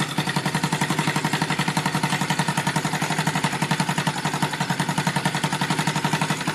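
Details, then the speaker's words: Rebuilt Yamaha Vega (Crypton) single-cylinder engine with balancer, running on the bench without a frame after a rebored cylinder and a larger carburetor: steady idle with a busy metallic rattle on every beat from the top end; the builder identifies balancer gear noise. "cuma ini ada suara di bagian atas ya Yang jelas-jelas ini sudah apa ya sesuai dugaan gua yaitu ada suara di balancernya itu yang bermasalah ya cuy"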